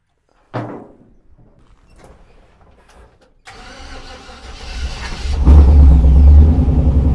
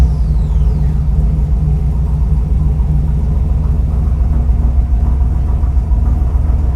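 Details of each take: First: 1948 Mercury pickup, first start in 50+ years, electric fuel pump showing pressure: after a few dead cranks it catches on fuel poured into the carburetor and roars up unevenly; carburetor suspected gummed up, not getting fuel. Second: 1948 Mercury pickup, first run in 50+ years, fuel now reaching the bowls: steady, even low rumble with no knocks, misses or squeals; oil pressure good, slight hesitation on startup, mixture possibly lean, needs tuning.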